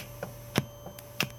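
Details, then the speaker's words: Goldstar (Geumseong) FA-785 vintage amplifier: every front-panel button (mode, mute, loudness) gives a sharp tick in the speakers, about every third of a second over faint mains hum, same level regardless of volume; switching noise, cause not yet found. "프런트에 모든 버튼을 누를 때마다 삑 삑 삑 하고 소리를 한다."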